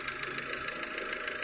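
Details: Renault Duster 2.0 at idle after replacing the crankcase ventilation (PCV) valve, reverting to the original membrane. Even, steady idle with a smooth upper-mid hum; the earlier quacking from the engine's left side is gone; normal idle.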